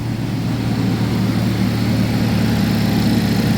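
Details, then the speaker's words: 2011 GMC Terrain or Chevy Traverse with a recurring P0341 cam code despite new phaser solenoids and cam sensors, idling cold with the check engine light on: a smooth, even hum with no stumble or tick. It runs great cold. "all right like I said she's purring"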